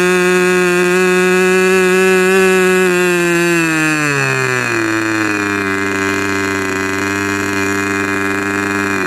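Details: Rebuilt K&B 40 model 4011 glow engine with only two runs after the rebuild, on 10% Coolpower plus 4% castor and a 10x6 prop. A high, steady buzz at about 12,600 rpm drops cleanly to an even idle of about 2,500 rpm; good power, idle and transition.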